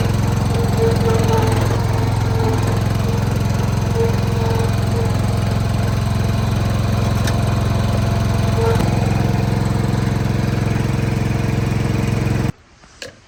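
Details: John Deere 165 Hydro lawn tractor after a new ignition coil fixed sporadic spark: steady, even chug at constant speed with no knocks or misses until shutdown; engine running healthy.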